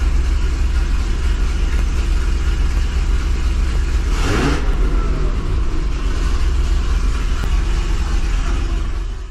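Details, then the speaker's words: 2005 Chevrolet Corvette with Kooks headers, after welding new V-band flanges to fix two exhaust leaks that had upset the O2 sensors: deep rumble, partial-throttle blip climbs cleanly without stumble; hesitation about 99% gone. "all right guys I think with that hesitation being like 99% gone I think we may have solved the problem here"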